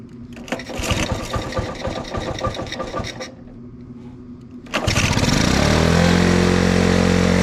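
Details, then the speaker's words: Honda ATC 90 first start after sitting 50+ years, carburetor sandblasted, points adjusted, valve clearances checked: uneven putts as it catches, then a steady higher-pitched run at roughly 220 firing beats a minute; small single running evenly. "Well, after 50 years of not running, that is pretty cool. Bring something back to history. Glad you guys can see it run again."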